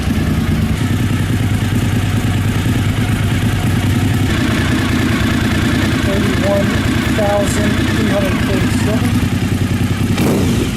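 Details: 1999 Suzuki TL1000R V-twin project bike with several known problems: loud, uneven idle with lumpy firing that seems to need blipping to keep going; rough, unstable idle, cause unclear.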